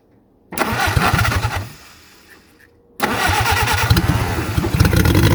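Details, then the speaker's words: WWII-era Jeep, likely an MB, sitting for years, Solex carburetor: starter churns in two long bursts of quick even compression beats, never catches; fuel pump works but fuel not reaching the carburetor bowl. "The problem is one of fuel delivery. I'm going to have to figure out how this thing comes off so that I can get to the bowl."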